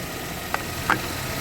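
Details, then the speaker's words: GMC after a head gasket redo, warm after running a few more minutes: quiet, even idle with a couple of light clicks over a soft hum, and no coolant bubbling. Normal idle. "it's been running for a couple more minutes since I got off the video last and let me show you it's not bubbling or anything"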